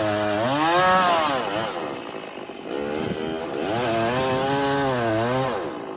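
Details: Stihl 024 chainsaw after carb tuning and a makeshift aftermarket air filter, cutting firewood at high revs under load: revs sag as the chain bites and climb back cleanly to a steady scream with no missing; healthy.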